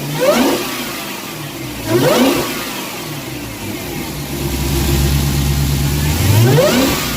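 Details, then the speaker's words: Dodge Hellcat supercharged V8 with the stock air filter, before fitting a K&N drop-in: three throttle blips over a beefy idle with a moderate whine rising and falling with revs. Normal blower whine, not especially loud. "okay so that's what the stock air filter sounds pretty good sounds pretty beefy but not a really really super large supercharger whine"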